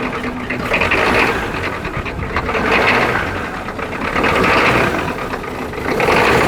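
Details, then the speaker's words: Freed turbo Ford 6.9 IDI diesel, with solenoid powered, fuel at every cylinder and injectors tightened. First start on starting fluid: rough clatter swelling and fading every couple of seconds; it fires and barely holds, briefly running on its own fuel. "well it runs it even ran on its own fuel there for a second let's do that again"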